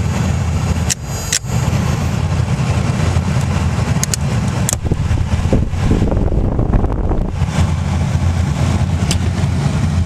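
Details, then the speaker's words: 1995 Toyota 4Runner / T100 AC-heater blower motor after replacement, battery reconnected: steady, even whir over a low hum with no rattle, wobble, scraping or vibration; new blower runs smoothly and blows well. "Sounds good. No vibration. Blows."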